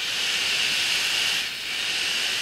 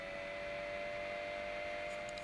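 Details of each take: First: Anycubic i3 Mega 3D printer, original radial blower fan, called the noisiest fan on the printer and kept since no replacement was found: a loud, steady, high, airy hiss with no rattle or wobble. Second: Anycubic i3 Mega 3D printer, original 50 mm control board fan: faint, steady hum with a soft, high whirr and no rattle or wobble; running quietly and normally.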